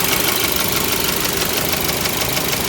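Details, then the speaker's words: 2022 Mitsubishi Xpander Sport CVT, 1.5 L 4A91 four-cylinder engine at idle: fast, even, bright metallic tick-tack clatter riding over the idle, steady with no rev change; engine seems unhealthy, cause unknown. "Kalau kalian ngerasa ini kenapa sih suaranya tak tek tak tek tak tek tak tek tak tek, ya emang unit ini kayaknya emang rada-rada ini ya, untuk mesinnya kayaknya emang rada kurang sehat ini."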